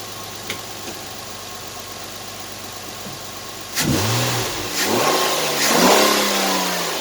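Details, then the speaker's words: 2010 Nissan Maxima 3.5 V6 after replacing the bad ignition coil behind a cylinder 5 misfire, codes cleared: even idle, then three quick rev blips climbing and dropping cleanly with no stumble, popping or smoke; fixed. "let's go check out the exhaust running pretty smooth no misfires no putting no smoke so she's fixed"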